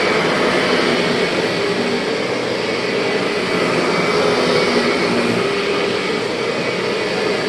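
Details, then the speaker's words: 2001 Kirby G6 vacuum after refurbishment with new bearings and modified transmission gears and belt: smooth, even motor roar with no G6 transmission whine or rattle, normal running. "And if you're wondering why this G6 doesn't have any transmission whine at all, go back into my video and you'll see that I made some modifications to the gears and the belt in there, so no more whine."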